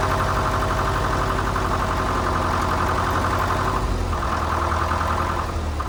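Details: 1947 International Harvester TD-9 gas-start diesel crawler, first start in years after magneto rebuild and correcting timing that was possibly 180° out: steady, even low chugging idle, no knocks or misses; normal idle.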